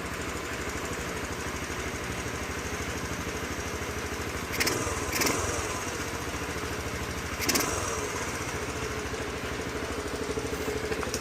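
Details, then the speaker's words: 2007 Honda CT110 single-cylinder idling with the cam chain adjusted as far as it will go: an irregular light clatter from the top end persists. The loose, worn cam chain is rattling; the owner will check its slack. "But, it's a little bit noisy. But, these things run forever, so I can't see it having a problem."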